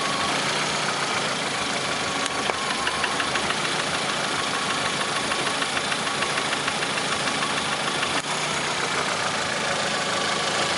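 Sharp, rapid ticking knock, roughly three a second, riding over the engine noise; a knock is present, cause not yet pinned down. Cause suspected, not confirmed.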